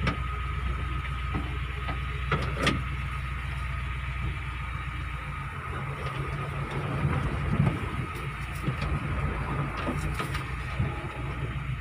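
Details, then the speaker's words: Test drive after clutch repair for hard, juddering take-off (worn flywheel or old pressure plate suspected): car pulls away with even low drone, no shudder; clutch now smooth. "sudah enak ya akhir-akhir enggak sudah halus Bro Sudah enak buat jalan ini"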